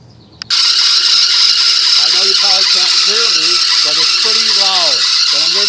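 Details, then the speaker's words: 1997 Nissan Pathfinder at startup/idle: loud harsh high-pitched squeal with rising and falling chirps, stops when water poured on belt; slipping serpentine belt, to be replaced. "see how it went away so it's just a belt so I'm gonna change the belt out thank God it's just a belt"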